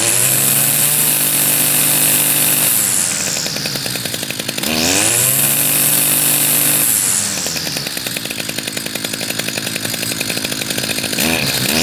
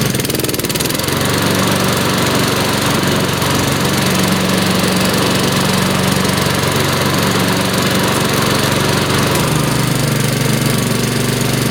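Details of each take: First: Two-stroke machine, first spring start on choke with some fresh gas: buzzy revving rising and falling unevenly, labored and burbly at low speed; mix is smoky, oil-rich, owner plans adding regular gas. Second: Mower, first spring cold start, pull-started on choke: steady even single-cylinder drone, no misses or knocks, settling smoothly as it warms; healthy.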